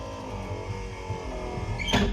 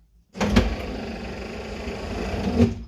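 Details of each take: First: 1964 Chevrolet Impala convertible, stored in a shed since 1995: power window that was completely stuck, revived by spraying lubricant into the rotation areas, now runs with a steady whirring motor hum and a firm thump at the stop; normal operation. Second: 1964 Chevrolet Impala convertible, stored since 1995, power windows revived with spray lubricant: window motor whirs about two seconds with slight drag near the top, running sluggishly; owner suspects the battery is dying and needs charging.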